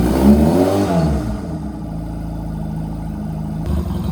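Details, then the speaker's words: Honda Rebel 250 on its first start after sitting about 27 years; revs up, then drops back to a steady, even idle and sounds healthy. Needle adjusted; fuel tank off; battery voltage weak. "I'm just hype. It's running. See if we can get a rev out of it."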